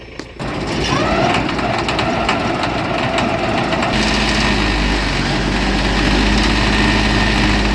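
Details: John Deere tractor restarted after mower repair with new loctited bolts: engine picks up and settles into steady even run, mower drive turning smoothly, no knocking or clatter; healthy.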